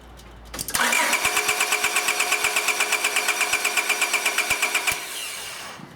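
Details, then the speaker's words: 1999 Honda Accord 2.3L with a bad misfire, distributor connector unplugged to crank without starting: steady, even cranking beat with no uneven strokes, so compression is normal; suspicion moves to ignition or fuel. "Sounded pretty even and uniform, which suggests we do not have a compression problem."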